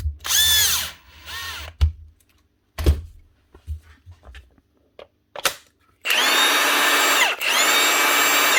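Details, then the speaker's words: Milwaukee M18 impact wrench (ONEFHIWF12 / 2863 / 2767-20, 18 V) after replacing the rear motor bearing cover that caused rattling and growling: short bursts of smooth high whirring spinning up cleanly, no grinding or rattle; motor repaired, healthy. "2 Milwaukee nut guns repaired."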